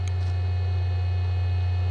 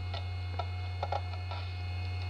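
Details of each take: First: 25-year-old SyQuest SparQ cartridge drive reading data over parallel port, microphone right at the drive: loud steady low drone with faint high whine, much more vibration than a regular hard drive; owner unsure whether normal or imminent failure. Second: SyQuest SparQ cartridge drive on insertion: steady motor hum under scattered irregular light ticks as heads seek, noticeable vibration; drive spinning up and working normally.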